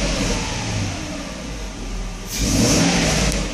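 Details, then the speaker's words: Mercedes test car with E-gas and the mass airflow sensor under test fitted, loosely mounted with slight air leaks: engine picks up cleanly when blipped and settles back without hesitation or stumble; accelerates great, sounds healthy. "no problems with this unit accelerates great so Allah is really nice to say give us some gas sounds good runs good"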